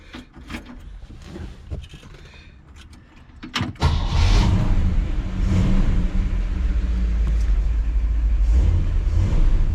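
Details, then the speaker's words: 1959 Chevrolet Bel Air 348 with Rochester 4-Jet carburetor, choke held open, after repairing the failed accelerator pump. Catches after a short crank and revs cleanly with an even deep roar, no hesitation. Previously hard cold starting; normal start and rev. "much better oh wow what a difference i bet that'll make it easier to fire up cold"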